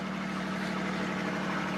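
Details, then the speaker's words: 1940 Plymouth DeLuxe P10 with its original 201.3 ci flathead straight-six, after sitting 25 to 30 years, idling, heard from underneath: a soft puffing tick on each firing pulse. Broken exhaust leaking mid-car and at the rear; the muffler is wired on. "all right we have a broken exhaust I can hear it's coming out in the middle somewhere as well as all the way back here in the rear"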